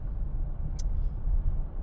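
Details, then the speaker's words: Rear wheel bearing suspected after the customer complained of a rear scraping noise; on the test drive after repair there is only low, even road rumble while cornering with load on the left side, and no scrape or growl. The rear bearing is quiet. "steering wheel here. And you could really hear it when you load it up the left side. And it's gone. Yay. I love success."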